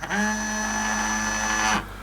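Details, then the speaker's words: Micro ROV 12 V brushless water-pump-motor thruster on a test connection through the umbilical control wiring; steady even hum spins up, holds about two seconds, stops cleanly; normal running. "Connecting to the test thruster. And we hear the thruster fire"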